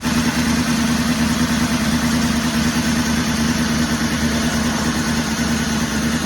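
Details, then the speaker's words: 2002 Northstar with a new battery, codes P0300 random misfire and P0121 throttle position sensor: an uneven, stumbling idle with a wavering beat and a hissy roar; rough idle. "She ain't happy at all. All right, well, we decided we were gonna work on this thing."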